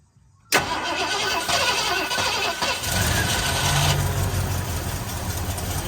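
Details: Ford Bronco that had sat in a front yard, cranked via hot-wired starter solenoid after a dose of rattle-can spray: silence, then a long rough crank that catches into an uneven, lumpy run; the engine fires but struggles to settle.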